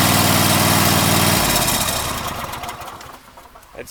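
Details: Cub Cadet LX42 mower, Kohler engine, after new starter installed: quick even firing, catches cleanly and settles, then winds down; starter and engine healthy, problem fixed.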